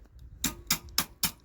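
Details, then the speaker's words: Junkyard Mopar 400 big block, tapping valves near the spring to compare: five sharp light taps about a quarter second apart, ringing cleanly with no dull thud; this valve is loose and moves freely, unlike the two stuck ones. "no one's loose that one's loose we got two valves that are stuck for sure"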